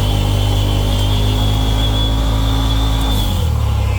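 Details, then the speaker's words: 2020 Polaris RZR PRO XP transmission making a loud, steady high-pitched whine over drivetrain rumble, holding pitch then dropping as speed falls; transmission whine. "we had an issue with the transmission making a really high pitched whining sound like"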